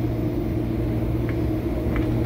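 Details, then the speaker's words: Restaurant kitchen AC unit with oil return problem: heavy steady low rumble with sharp pops as second compressor shakes and pops; internal failure or phase reversal suspected, unconfirmed. "that scared the crap out of me that compressor was straight popping and shaking"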